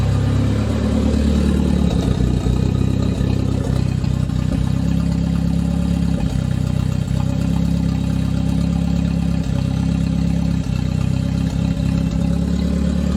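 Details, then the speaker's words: The "200", bad misfire persisting after ignition work, exhaust cut free: uneven idle with irregular stumbles and dips while someone works under the hood. Misfiring and running rough, cause not found. "we're continuing to break the ignition system on the 200. as we've still got a pretty bad misfire after all we've done"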